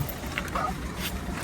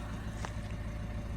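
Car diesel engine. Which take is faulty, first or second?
first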